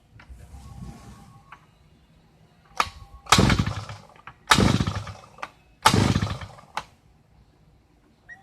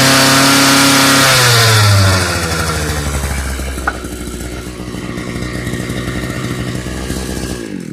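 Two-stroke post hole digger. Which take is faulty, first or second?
first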